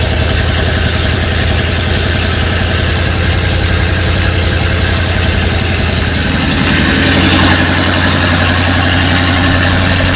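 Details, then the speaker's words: First start after head work and carburetor reassembly, no coolant yet: engine runs fast and unsettled at idle, beat shifting after a few seconds; runs much better but idle speed needs adjusting lower. "fire it up here and see how it goes right a lot better need to work on the adjustment here get the idol to finish the idol down a little more"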